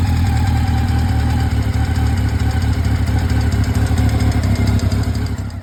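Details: Honda Nighthawk 700S idling cold, with a loose, uneven tick about twice per second over the low engine rumble; owner locating the side it comes from, cause not confirmed.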